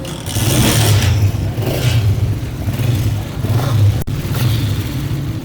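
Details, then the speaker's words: Honda CG 125 after fitting greased RPM cable (old one rusted and jammed, causing engine noise): clean throttle blips, no knocking or grinding; normal running and revving. "अभी आप गौर से देखें कि RPM cable जो है अल्हम्दुलिल्लाह बिल्कुल सही फिट हो चुकी है और इंजन में आवाज जो है वह भी नहीं है।"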